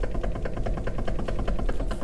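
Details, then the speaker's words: Dodge Dakota 2WD steering: quick sharp clicks and clunks over a low idle rumble, felt by the driver's feet, from play in a worn intermediate steering shaft joint; shaft replaced with an aftermarket part. "that clicking is coming from the intermediate shaft so i know it seems petty but that play makes a ton of noise when you're jittering down the road"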